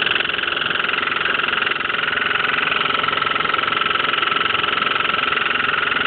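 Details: Hotpoint washing machine with a very even, repeating thump about three times a second over the motor hum; cause not identified.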